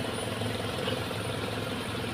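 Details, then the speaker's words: Standard Suzuki Katana at pre-purchase check: steady, even idle with a smooth low rumble and no knocks or misses; calm, stable engine; heavy vibration could instead point to engine mounts. "teman-teman juga bisa lihat dari getaran mesin ya dia stabil dia tenang tidak naik turun untuk kondisi mesinnya ya"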